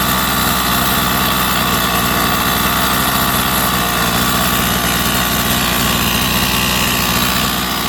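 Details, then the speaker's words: Rovan 45cc two-stroke engine in an XLT, being tuned (idle opened, low-speed leaned): flat, strained buzz that never clears or picks up, as if not breathing; owner thinks the cylinder head broke loose and needs tightening. "It's like it's not breathing. This engine, I gotta tighten up the head. I think that the head broke loose."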